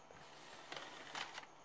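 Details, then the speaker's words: Original Xbox with a common fault, tested after checking tray voltage: quiet motor whirs and a soft click as the tray opens and closes and seats, with no slipping or grinding. Normal tray operation. "vamos a proceder a darle acá power y encendió perfectamente está haciendo su funcionamiento perfectamente el lente arriba una darle pop en sale perfectamente bien"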